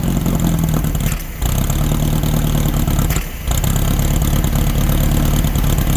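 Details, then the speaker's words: 1964 VW Beetle (modified Baja Bug), previously seized engine, started after over a year sitting using old gas in the bowl on a freshly charged battery: steady low idle with two short throttle blips settling smoothly, no misses or rattles; running fine. "there we go now that we got it running let's see if we can't get it to move around"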